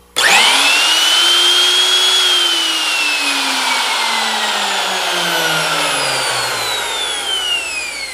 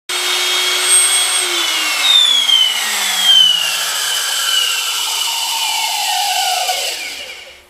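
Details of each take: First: Makita 3600B router after replacing screaming bearings: spins up to clean high whine, holds steady, coasts down smoothly with no grinding or rumble; bearings healthy. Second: Old Makita 3600B router before bearing replacement: a piercing high squeal over the motor whine, its pitch sliding down as the router spins down; worn bearings.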